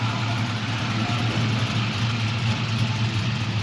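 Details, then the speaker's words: 1969 Chevrolet Camaro resto-mod, rebuilt gen IV 6.0L LS V8 (2024 build), idling after startup: deep, steady, lumpy lope with an even rhythm and no ticks or knocks; a nice, healthy loping idle. "You got a nice loping idle."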